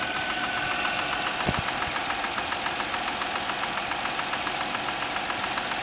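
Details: Audi A6 C6, cold morning idle: a sharp, regular tapping about three to four times a second over the engine. This is a cold-start knock; the cause is suspected but not confirmed.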